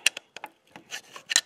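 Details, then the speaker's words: 2020 Can-Am locked in four-wheel drive, front end turned by hand. It gives sharp, irregular clicks, about seven in under two seconds. The front driveline's stripped spline is slipping, so the shaft is not turning. It is quiet in two-wheel drive. "if you can hear this listen hear that clicking so i'm turning the front in and i go over here look at that driveline you see that spline right there that's where it's slipping"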